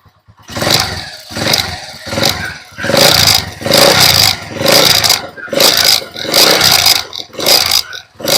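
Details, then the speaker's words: TMX Alpha 125 motorcycle, running with the battery disconnected: repeated throttle blips about every 0.7 seconds rise and fall cleanly and it keeps running. Normal running; original fault was no charging, e.g. a failed stator charging coil. "Wala nang connection yung battery natin. Aandar pa rin dapat siya."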